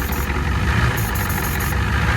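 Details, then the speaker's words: 1989 Ford F250 7.3 IDI diesel idling in neutral after fitting used injectors and new return lines, started with a little ether; steady low diesel clatter, even beat, slight smoke, smoothed right out, running pretty good; normal idle. "She's actually running pretty good. She's smoking a little bit, but I just gave it a little bit of ether as it was fired up, and it just smoothed right out."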